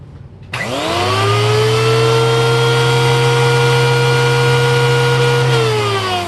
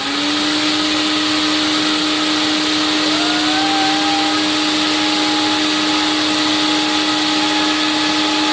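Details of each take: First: Old TriStar CXL vacuum's power nozzle motor, which drives the brushroll. It spins up to a steady high whine with a rough, gritty edge, then winds down. Worn motor bearings, owner plans a teardown and bearing replacement: power nozzle motor bearing noise. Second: Late-1980s TriStar CXL vacuum on airflow/suction test with all standard filters and cleaned bag, about 120 V supply: smooth steady motor whine, slight pitch lift as airflow load changes, no rubbing or grinding; motor sounds okay, condition unknown, bearings due for replacement.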